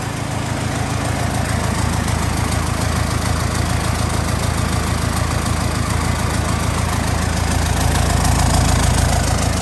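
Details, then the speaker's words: Cummins 4BT diesel truck, barn-find restoration, cold start: fires at once and holds a steady even clatter, rising slightly near the end, no misfire or knock; healthy cold-start idle. "Made her start up. Cold start. Hadn't started anything. Starts her right away. Right freaking away, man."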